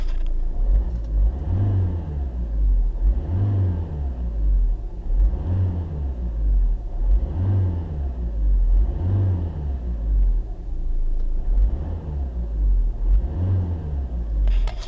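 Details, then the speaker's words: Citroën/Peugeot 2.0 HDi diesel, Bosch EDC15C2, just after first home-made remap: about nine crisp neutral blips, one every two seconds, deep smooth rise and fall; revs more eagerly with changed engine note; normal free revving. "j'ai l'impression qu'ils aient déjà quand on accélère comme ça dans le vide il est bien plus vifs il a changé de bruit aussi le bruit moteur"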